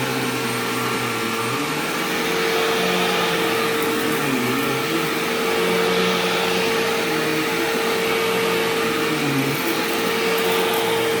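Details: Sharp Twin Energy vacuum cleaning living room: steady high whistle over the roar; owner notes the squeal eased after running a while and partly returned after shutoff, cause unknown.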